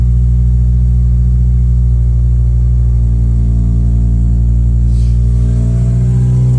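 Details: Acura RSX K24A2 after new thermostat, knock sensor, throttle body adapter and cleaned IACV and throttle body: strong clean pull as revs climb, steady low note, no knocks or misses; healthy.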